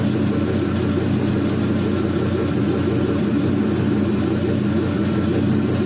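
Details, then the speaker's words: 4.8L Gen 3 LS V8 with 175k miles and new lifters, warming past 145 degrees, in closed loop, about 42 psi oil pressure: deep, steady, even idle, no lifter noise, knocks, ticks or smoke; normal idle. "four degrees so it's about 42 psi i think on the oil pressure no weird noises no drips"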